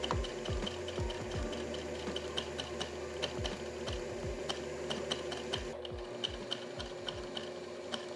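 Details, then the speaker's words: Sewing machine stitching heavy-duty denim right after adjusting the hook timing, which looked slightly ahead: quick, even needle clatter at about two stitches a second with no binding or knocking, now working normally. "right. I mean, it seems to be working, so."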